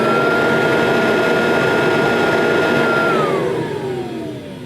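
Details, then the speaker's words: Kirby Tradition vacuum cleaner motor running without the agitator engaged: steady high whine with even hum, then pitch slides down as it spins down; motor sounds fine. "so to me I'm not Kirby expert to me that motor sounds fine"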